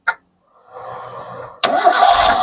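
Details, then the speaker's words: Old Toyota Kijang Kotak body super, started without throttle: quick starter whirr, then it catches cleanly within about a second and settles without stumbling; engine sounds very smooth, no heavy smoke, normal start. "Sama dengar suarane, halus mesinnya, mesin sangat halus, sama dengar kan."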